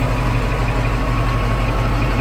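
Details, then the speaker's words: Caterpillar D11 dozer diesel that wouldn't start, 24-volt two-battery system with a suspected battery charge imbalance, idling after starting: deep, even steady low thrum, no misses or knocks; normal idle. "There we go. She's alive."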